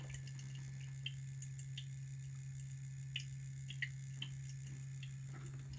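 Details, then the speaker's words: Custom water-cooling loop pump in a Thermaltake P3 case (moved from a Fractal R5), running full speed: a steady low drone with faint ticks, noisy not silent. The owner hopes a motherboard PWM header will slow it; the loop runs only block and radiator. "well well I'm unhappy but it's bit noisy can hear that"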